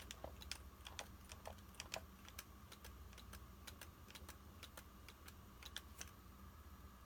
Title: PANASONIC LUMIX G9 BODY RATTLING NOISE